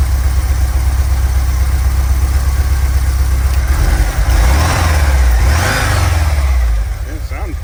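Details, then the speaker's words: VW Vanagon with stock 2.1L water-cooled boxer, warmed up: even idle with a steady low thrum, then a brief clean rev and settle. Cold, it knocks, bangs and idles poorly, and it cuts out while driving. Normal warm idle. "all right here it is running running pretty smooth right now it's warmed up"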